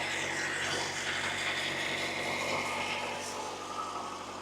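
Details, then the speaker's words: VW Golf Mk II idling after the fuel vapour separator was replaced; the fuel leak is gone. Steady, even idle with a soft regular beat and no knocks, misses or hiss; runs smoothly, judged fixed. "I think it is fixed because there are no leaks. I just wanted to keep it running for just a little bit."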